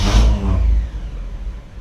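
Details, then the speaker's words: 1959 Chevy Bel Air 348 V8 hot start after 20 minutes off, no accelerator, after cleaning Rochester 4-Jet carb air bleeds; short crank catches almost at once into smooth even idle, hard hot-start problem fixed. "And that's the way it should start. So that corrected the problem, cleaning the air bleeds."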